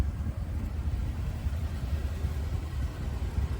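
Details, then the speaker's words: 1979 Cadillac Eldorado Biarritz with EFI V8, back on the road after work including a newly installed exhaust system, idling: quiet, soft, even low rumble with no ticks or misses; smooth, healthy V8 at normal idle. "and how lovely smooth and quiet this V8 is under the [Music] hood well you can really hear those eight fuel injectors clicking away doing their job firing ing in sequence with this vendex"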